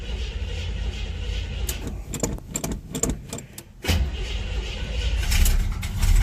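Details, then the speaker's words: Monte Carlo cold start before fuel filter change: catches, then stumbles and surges unevenly, never steady; runs okay floored then acts like running out of gas; owner suspects clogged fuel filter, or fuel pump. "so I'm thinking that fuel filters clogged if you hammer down on it it runs okay but then it starts you know acts like it's starting to run out of gas"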